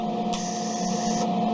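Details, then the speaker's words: Newly assembled Eastwood MIG welder with shielding gas on its lowest regulator setting, trigger pressed and released: a soft gas hiss runs about a second over a steady electrical hum, then shuts off cleanly. This is normal post-flow. "so you heard it kind of go even after I hit the trigger it's supposed to do that for a short period of time when you're done with your weld you want to keep that tip held over the weld for a little while shielding the you know kind of finish off that weld nice that way"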